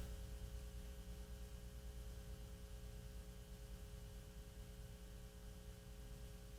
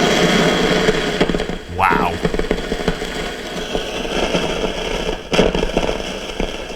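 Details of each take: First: 1940s RCA CR-88 radio receiver, second RF box, testing a 4700 pF mica capacitor: only low steady hum and faint hiss, no static or crackle. Quiet receiver. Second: RCA CR-88 1940s radio receiver, 4700 pF mica capacitor tested on a noise tester with gain up: loud, irregular popping, sputtering static with no rhythm; noisy, failing mica capacitor.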